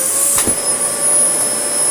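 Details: Dyson DC40 Mk1 upright with active base plate, after reassembling the brush roll and refitting a DC41 loom: steady high motor whine with a thin whistle and no beating brush sound; suction runs but the brush roll stays dead. Owner later suspects the PCB, unconfirmed.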